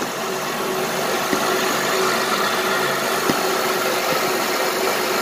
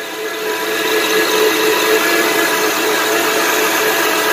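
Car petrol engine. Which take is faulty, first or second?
second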